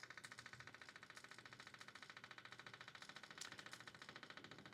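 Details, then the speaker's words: Mercedes 300D auxiliary electric fuel pump running to fill pre-filter and boost heater with fuel before testing heater: rapid, even ticking hum, steady with no stumbling or surging; normal fuel pump operation. "So we should be showing fuel in this pre-filter with the pump running. Okay, you can hear the pump"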